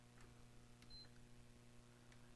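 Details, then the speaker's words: Original (fat) PS5 won't power on: pressing power or eject gives one short high beep over low electrical hum, no lights, fan or drive spin-up, no picture; suspected short on the motherboard. "and it's same way with the eject just a single beep no lights no nothing and nothing obviously comes up on the screen"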